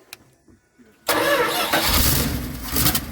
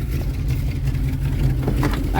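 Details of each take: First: 1973 Dodge D200 pickup, 360 V8, 727 automatic, sat 8 years: a loud burst of cranking and sputter that never settles to idle. The pump moves fuel but none reaches the carburetor, so the bowls are hand-filled and throttle leans it out; fuel starvation. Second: 1973 Dodge D200, 360 V8 with 727 automatic, sat 8 years, first start with idle screw turned up after filling carburettor bowls: steady even low rumble at raised idle, no knocks or misses; idles smoothly.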